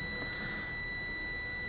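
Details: Airline 62-306 Teledial (Montgomery Ward) radio on/off switch and volume control after cleaning with CRC electronic cleaner: continuity beep holds steady without dropout as potentiometer is rotated fully; switch contacts making clean contact.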